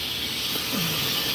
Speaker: I don't know if y'all can hear it surging through the inside of the valve, but we always want to make sure this is open cuz that's nice good hot steam water that's running through the valves on the inside